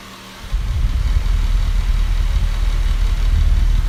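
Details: Westpointe fan spinning up: a low, rough, gravelly rumble that stays uneven throughout, from bad motor bearings.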